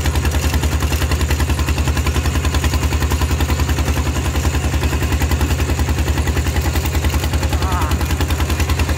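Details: Steel-wheeled diesel tractor ploughing a rice field with a loud replacement exhaust pipe: very loud, sharp bark about three and a half beats a second under load, typical of an unmuffled exhaust.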